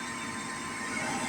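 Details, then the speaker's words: Gas furnace just after replacing a failed igniter (furnace had not been kicking on), restarted: steady even whoosh of the inducer motor, no rattle or wobble, purging before ignition. Normal inducer operation. "I'll turn this back on see if our furnace starts up there we go induction Motors cruising"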